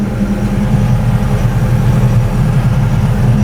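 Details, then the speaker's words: Skid steer bought sight unseen at online auction: deep steady diesel idle in the cab with an even beat, no misses, knocks or hunting; running good. "Little windows here. Let some air in. Not too bad. It's running good."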